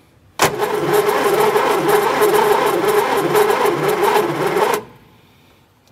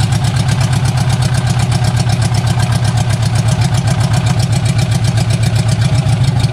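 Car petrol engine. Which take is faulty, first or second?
second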